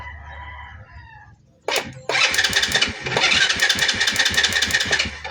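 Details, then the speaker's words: Motorcycle cranks in repeated starter bursts but never catches despite strong spark at the high tension wire; crank no start from fouled, over-fuelled spark plug. "Ayan start natin. Puro ridundo lang pero ayaw umandar."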